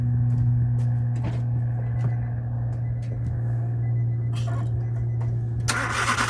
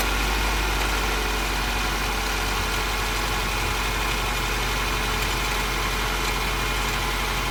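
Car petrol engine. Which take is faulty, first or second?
first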